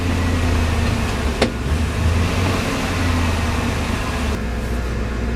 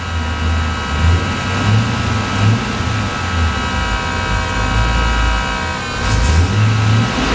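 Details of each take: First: External Chinese fuel pump (max about 50 psi), once mounted directly to the car floor, now refitted on four insulators; steady, even engine hum with no pump whine, much quieter after the fix. Normal fuel pump operation. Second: Chinese external fuel pump (max about 50 psi) bolted directly to the car floor before insulators were fitted, engine warming up after a battery disconnect: a constant loud electric hum droning through the body over idle and light revs.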